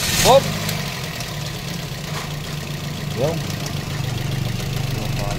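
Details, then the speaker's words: Toyota Vios idling with short, sharp belt chirps; replacement compressor pulley is 3PK instead of the original 4PK, so the belt doesn't fit, is damaged and has failed twice. "so nakita natin ang belt may tasas Bakit may tasas ang belt hindi akma ang compressor pulley So yun ang problema"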